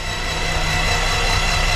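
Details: Titan IO-340 180 hp injected four-cylinder aircraft engine, first start attempt, cranked with spark plugs out to build oil pressure (reached 54 psi): steady, even cranking drone with no catches or grinding; normal starter cranking.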